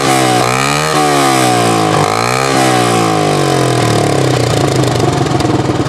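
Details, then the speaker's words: 1980 Honda XL250S single-cylinder at idle, before repair: a loud, raw, blatting exhaust with a harsh buzzy rasp because the muffler end rotted out and fell off. "at an idol it's not so bad but that's the kind of noise that doesn't endear you to the neighbors"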